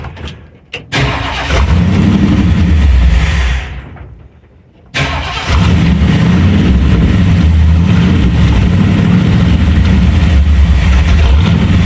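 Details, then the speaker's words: Ford F-100 351W V8 on a replacement carburetor, idle screw turned up half a turn: fires, stumbles, dies, restarts into a lumpy idle, barely running even at about half throttle; owner says definitely an air leak; vacuum leak. "that's definitely an air leak barely runs when i hold it about half throttle so we've got something going on with it"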